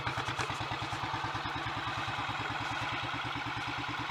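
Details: Royal Enfield 500 single, just rebuilt with cylinder head and valve gear refitted, Redditch S cams (inlet retarded one tooth) and a 230 main jet, idle turned down. Slow, even idle with no knocks or rattles; sounds mechanically good.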